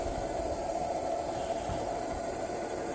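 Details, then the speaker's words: 1948 Major 236 lantern: steady even hissing roar with no sputter or pulsing, burner running clean on good pressure, extra pressure pumped in. "man I love the sound of this thing you hear that steady little what you call it Funk to it love it"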